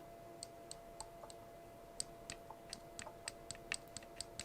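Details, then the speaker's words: Used 7-inch FPV quadcopter, frame arms wiggled by hand: faint, sharp, irregular ticks about three or four a second from front right and rear right arms; owner suspects loose arms just needing tightening, not confirmed. "but yeah i'm hearing a little bit of wiggle so either it just needs to be tightened up"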